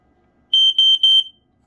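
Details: Smoky Stover model 4002 smoke alarm, a Gateway-based unit, tested with a battery. Three sharp, clean, even high-pitched beeps with no warble: a normal test tone.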